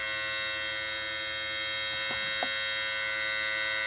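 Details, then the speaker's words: 2002 Mercedes SLK230 with the key on and the engine off: a constant, shrill, fixed-pitch electronic buzz. The owner first thought it sounded like the A/C compressor, but a stethoscope ruled that out. It was traced to a vibrating module, which shut off after a couple of minutes. "Wow, it's this module right here. I just happened to touch this and could feel it vibrating, and it's this unit right here."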